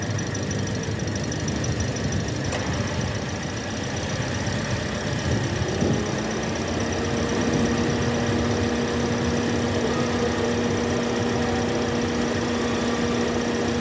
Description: Mesin Sienta 2NR bunyi kasar akibat Water pump Aus.